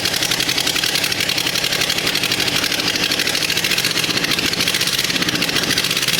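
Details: Rebuilt Suzuki SJ410 F10A engine on its first start, temporarily bolted to a frame with a makeshift wiring harness: fast, even ticking idle with a harsh, buzzy edge and a faint uneven beat; a small problem remains, cause unclear.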